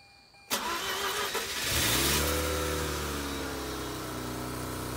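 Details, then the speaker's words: Mazda RX-8 after correcting ignition coil and spark plug wire order (leading/trailing) for cylinder 1 misfire: brief crank, starts, flares to 2000 rpm and slowly drops to smooth idle with no misfires. "It started, guys. The RPMs are at 2000. And they're slowly dropping. I don't know if this is too soon to say, but this sounds smooth."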